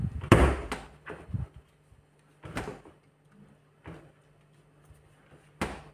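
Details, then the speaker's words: Refrigerator middle door after its rusted hinge pin was sanded and lubricated: dull door thumps and latch clicks with no creak or squeal as the door swings; hinge now quiet. "我们涂一这个润滑油在上面，它再也不会生锈了。这样转起来就利索了。"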